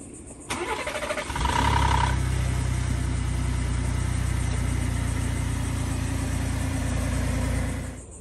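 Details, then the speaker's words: 2018 Ford Expedition Max 3.5L EcoBoost, Whipple EcoBeast upgrade (~500 hp), cold start after oil change: catches after short crank, fast cold idle with light metallic clatter; cam phaser rattle, reduced but not fixed by new oil. "so with the new oil it still rattles but not as much so it does help a little bit but not [Music] fully"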